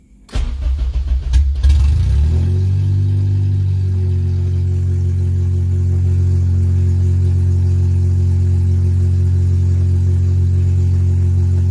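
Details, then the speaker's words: K24-swapped JDM Integra DC2 after cleaning the idle control valve to cure idle surge: it catches after a brief crank, flares, then settles into a smooth, even idle with no hunting or surging. "and it's idling a lot better"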